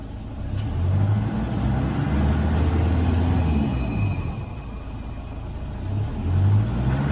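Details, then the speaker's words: 2009 Toyota Hilux 1KD-FTV D-4D diesel, 218,000 km, after one faulty injector was replaced: revs rise and fall cleanly with no knocking, rattle or stumble. Normal revving after repair. "I'll shut up and let you listen to it now so you can compare it to last video I'll give it a REV"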